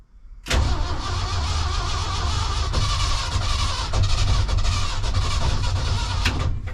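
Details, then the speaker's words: 1976 crew cab truck, fresh oil change, air cleaner off, drenched with starting fluid: steady heavy cranking about six seconds that never catches; cranks but no start, owner suspects possibly bad fuel pump. "Woof. Drenched her with starting fluid that time. Let's see. Not looking good, guys."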